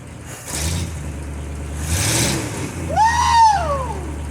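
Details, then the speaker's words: 1952 Ford F-1, first start in 28 years after a carb rebuild and ignition upgrade, caught with less choke: low, lumpy rumble idling on its own, somewhat uneven, with some smoke afterward; normal idle. "So close. What I needed was more air, less choke. I got it running!"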